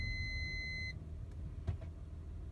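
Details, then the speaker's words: Honda Odyssey, at night, driving and reversing: high steady electronic beep, apparently from the rear, stops when the brake pedal is pressed and returns when released; locking/unlocking sometimes stops it; intermittent, cause unknown, nothing on dashboard. "I'm going to put my foot on the brake the sound stops when I go on the brake I've lifted my foot off the brake and the sound is back"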